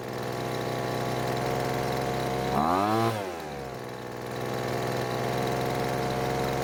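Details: Poulan Pro blower that stopped running mid-use, after H-screw carburetor adjustment: small two-stroke buzzes steadily, dips briefly as revs sweep down and back, then settles into a clean, even run. A loose bolt was later suspected as the cause.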